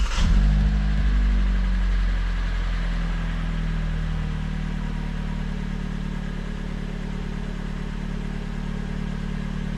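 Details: Hyundai Creta/ix25 after repair of a rattling exhaust: steady, even idle with two quick revs; the exhaust runs clean with no metallic rattle.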